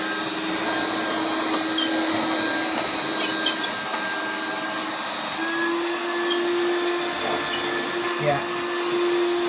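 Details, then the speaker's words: 1994 Hoover Turbopower 2 Autosense U2462 upright vacuum with an 800 W motor holds an even, light hum with no brush-roll beat and picks nothing up. The drive belt is believed broken. "the belt is broken on it we think so we're going to give it another go"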